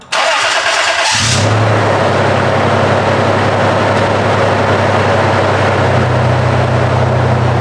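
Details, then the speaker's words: Toyota 4Runner after a new timing belt and water pump, the water pump being the suspected noise source: a brief crank, then a smooth, even idle with no ticking or whine, still quiet once warmed up; normal idle. "well definitely is quieter but last time it was completely quiet until it warmed up a little bit"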